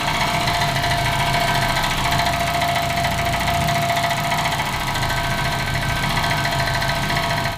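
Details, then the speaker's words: Tuned 400 HP race Honda after a launch-control failure: steady revs with rough uneven metallic rattle through the exhaust that changes with RPM; cause unknown, exhaust found empty, timing to be checked. "The powder could be moving around somewhere. Because it also sounds with the RPM."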